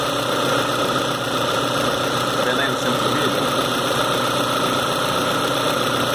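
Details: 2010 Citroën C4 Hatch 2.0 at its 50,000 km service, where the heat exchanger and belt kit were replaced, restarted afterwards: even, smooth idle hum with no ticking or slap from the front timing-belt area. Normal idle.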